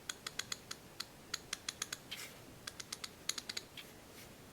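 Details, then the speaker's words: Old USA-made Craftsman half-inch ratchet, reassembled after cleaning and lubricating because it felt rough and was suspected of skipping: crisp, even clicks in quick bursts, no skipping or grinding. The pawl engages properly. "that nice and smooth there's no skipping going on there"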